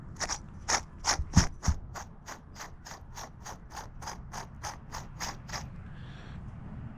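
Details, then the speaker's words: Trek Shift 3 bicycle bottom bracket turned by hand, no load: dry, regular ticking about three clicks a second from dry bearings; replaced with a new bottom bracket. "It sounds like it turns smooth under no load, but really that is dry bearings. That's the sound of dry bearings."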